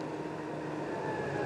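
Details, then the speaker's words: Alliance JMP-60H line pump on a Freightliner diesel in PTO (third gear), rpm button pressed: a steady diesel drone whose tone climbs smoothly after about a second. Normal engine speed increase. "so um this is your engine RPM this button so if we push it here engine RPM goes"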